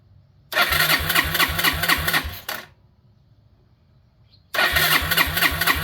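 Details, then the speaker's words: 2001 Yamaha Breeze YFA1 after fitting an aftermarket carburetor: steady starter churn about four pulses a second, two cranking bursts, never fires. Fuel tap suspected in the wrong position, needs turning to reserve; not confirmed. "Is there not enough fuel in here? There's still plenty of fuel in there. Maybe not in the right direction though. Need to turn it on reserve."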